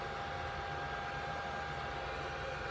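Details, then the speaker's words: 3D printer's small internal fan after the printer was tipped over for inspection and plugged back in: quiet steady whir with faint constant tone, grinding gone; possibly a piece of debris had been against the fan; normal fan running. "plug it back in no more worry it's a little fan in there"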